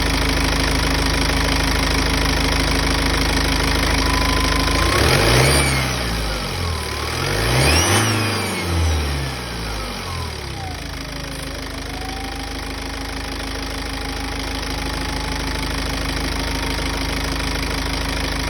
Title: BMW 125d strange whistling / Whining Noise after decat and uprated intercooler fitted